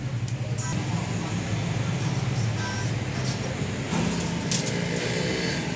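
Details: Honda XRM 125 after repair of engine knocking caused by a damaged camshaft bearing and worn connecting rod and side bearings, with the camshaft replaced: steady, even low single-cylinder drone with no knocking or tapping.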